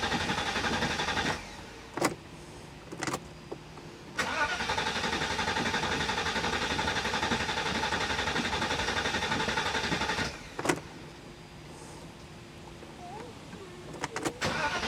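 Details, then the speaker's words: 1985 Mercedes 500SEC with fuel drained and new fuel filter and pump: repeated short cranking bursts, turns over but never catches; it only started with the throttle plate pressed, a hard start. "i was able to drain the fuel and change the fuel filter the fuel pump and the car cranked over but it only started when i pressed down on the throttle plate"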